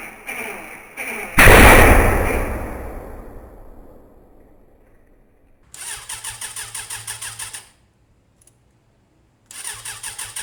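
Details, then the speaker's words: Motorcycle (one of a Kawasaki ZZR600/Suzuki Bandit project group) firing up: one sharp bang as it starts, then short bursts of uneven pulsing. Backfiring, possibly from running on fewer cylinders or a cylinder not sparking properly; cause unclear. "I mean, the backfiring on that last one, I don't know what would cause that. You'd only get that if you was running on less cylinders really, or yeah, if something wasn't sparking properly."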